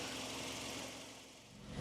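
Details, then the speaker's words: Nissan Primera P12 at idle, microphone by the exhaust where the holes were filled with repair putty; the exhaust was blowy before the repair. Quiet, even idle with no puffing or chuffing: sounds pretty normal, the exhaust appears sealed. "have a listen down here where those holes were doesn't sound too bad it sounds pretty normal at idle"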